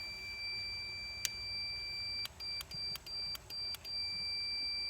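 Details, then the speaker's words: Husqvarna YT 21 HP riding tractor starter solenoid, energized on test: high tester tone breaking into short beeps, and the solenoid clicks. The solenoid is good. "So that's good. That's a good one. It clicks."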